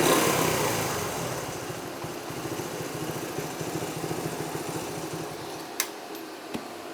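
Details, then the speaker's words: 1973 Honda CT90 single-cylinder at idle on a cleaned, rebuilt original OEM carburetor replacing an aftermarket one; only just starting to be adjusted into spec: soft, regular, steady putter, far better than with the aftermarket carb; normal idle. "I've just barely started to adjust it, you know, into spec, but I can go ahead and tell you it's worlds better than it was with that aftermarket one."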